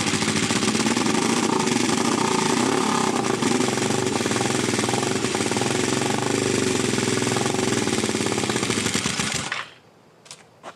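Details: 1981 GS450 café-build project bike, sitting a while with carbs cleaned earlier, compression and spark present, first run since owned: harsh rapid popping rattle at steady revs, ragged raw exhaust bark, then cuts out; rough running through a holed exhaust, blue oily smoke.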